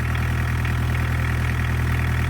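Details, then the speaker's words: Barn-find VW Caddy pickup, off the road over 20 years, started undramatically with steering lock off: steady idle with an even low drum and faint regular clatter, no stumble or misses; healthy. "Right, that's pretty undramatic. Will it start? But it did start, so that's that. So the steering lock is off and the engine runs."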